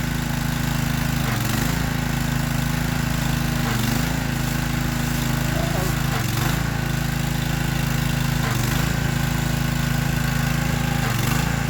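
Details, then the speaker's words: Free Troy-Bilt pressure washer small engine started to test the pump: note dips and recovers about every 2.5 seconds, hunting; cause found as carburetor jets clogged with dirt, not the wand or pump; jets then cleaned. "Nasty, but we found the problem, guys. It's had nothing to do with the wand or the pump or anything. These things are clogged up, full of dirt."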